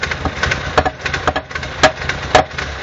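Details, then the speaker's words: 2000 car with a 1.6 L petrol engine, hard to start: uneven, unstable idle broken by sharp, irregular clacks popping back through the intake. An intake valve that doesn't seal is suspected; the manifold pressure is being checked to see whether it rises above 0 during the clacks. "Parfois on a des, là on les entend, des claquements au niveau de l'admission. Suspecter ici une soupape d'admission qui n'est pas étanche"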